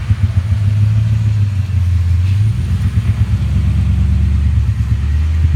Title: 1998 Mustang GT misfiring